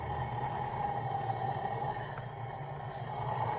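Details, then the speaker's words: High-mileage BMW E36 M3 S52 inline-six, cylinder leakdown test on cylinders 4 and 5: continuous rushing hiss with faint steady whistle, air escaping under pressure; suspected warped head or head gasket failure, not confirmed. "That's like a current. Oh yeah, look at this. Well guys, we found our issue. I'm gonna call that a warped head probably."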